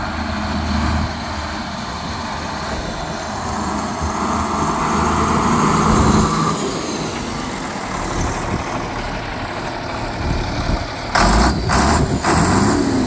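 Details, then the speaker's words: John Deere 4440 diesel tractor, restarted after about 12 years sitting, runs with a steady deep drone, even firing, no knocks or rattles, some wind; sounds really good, running smoothly. "wow sounds really good"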